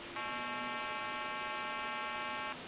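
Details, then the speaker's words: Kellogg RedBar rotary telephone on test, calling a time-and-temperature recording: steady low buzzy electrical hum holds a few seconds mid-recording, caused by the service provider's faulty equipment, not the phone. "Now they're having problems with their equipment. You'll hear the recording start, and then you'll hear a hum, and then the recording will continue."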